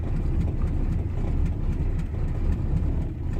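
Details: 1987 Chevrolet Caprice, carbureted V8, cold start with the choke not working: lumpy, uneven idle surging about once a second, as if it might stall; the carburetor needs rebuilding.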